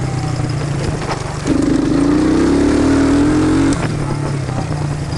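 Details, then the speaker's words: 1999 Suzuki Quad Runner that bogged under load from a misadjusted carb float: first start after the float adjustment, not yet warm. Revs climb smoothly from a lumpy idle and drop back with no stumble. "i got this thing all back together let's see what she'll do first fire up after the adjustment"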